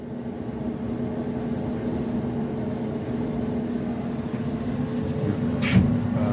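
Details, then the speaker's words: Maytag electric dryer built by Whirlpool, after replacing the noisy belt tensioner pulley, vent hose disconnected: drum turns with a steady low rumble and hum, smooth with no squeal or thumping; normal running. "so here you go that's a normal that's a normal dryer sound that's what your dryer should sound like"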